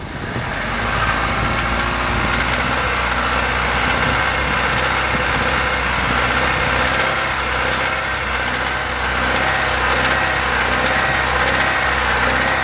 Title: Стук в двигателе